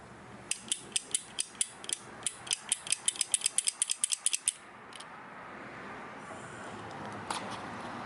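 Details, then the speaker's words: Removed and opened water flow switch from a 60 W Chinese laser engraver's tube cooling line, pressed by hand: about twenty crisp clicks, four or five per second, as it snaps cleanly between off and on. "where you hear the switch clicks simply from an off to an on position so as water's flowing through or push down on this and it'll be on the on stage you can hear the clicking on here"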